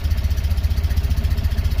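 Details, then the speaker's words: Tata Nano CNG that stalls right after starting and on throttle, check light on: low, lumpy idle skipping beats; fault code points to failed or choked oxygen sensor causing misfire; rough misfiring idle. "जब Tata Nano के अंदर auto sensor खराब होता है या choke up होता है। उस वक्त गाड़ी मिस फायरिंग और झटके मारना शुरू करती है और गाड़ी रनिंग में बार-बार बंद होती है।"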